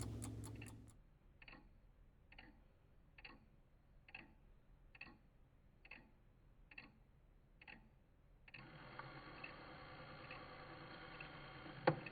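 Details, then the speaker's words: Vintage Coca-Cola electric rewind clock, reassembled in its case after replacing the failed rewind motor: steady ticking about once a second, then a short even buzzing whir as the replacement motor rewinds, much quieter than the noisy old motor. "nice and quiet on that one very good the old motor was quite noisy so that's interesting"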